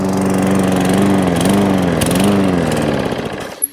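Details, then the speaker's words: Briggs & Stratton 450 lawn mower with little fuel in tank; single cylinder runs at steady putter, wavers slightly, then fades and dies within seconds; owner suspects low fuel is the reason. "and stops not a lot of fuel in there though but that might be the reason why"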